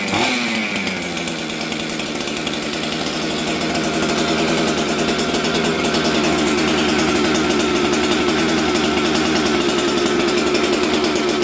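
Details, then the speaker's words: Auction 266XP two-stroke chainsaw fitted with a new ignition, jets set the night before, starting on the first pull: high, buzzy, slightly racing run that climbs a little; low-speed jet a touch lean, so it is to be turned richer. "Okay, let's adjust the low jet. I'm going to make it a little richer because it was a little lean there."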